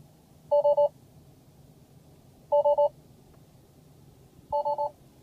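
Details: Tesla Model S on software v6.0, quiet cabin: three quick identical beeps repeat every two seconds with no apparent reason; suspected software bug, cause unconfirmed; repeated spurious beeping.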